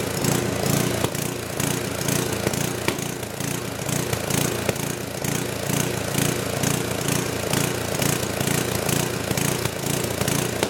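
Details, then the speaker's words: Old 10 hp gasoline generator converted to propane using an aftermarket LP regulator, choke open: engine gallops and backfires, suggesting a lean mixture; owner suspects it isn't drawing enough fuel. "So, it's not running perfect. It's got a little gallop to it and a little backfiring, which kind of indicates like it's lean. So, maybe it's not drawing enough fuel."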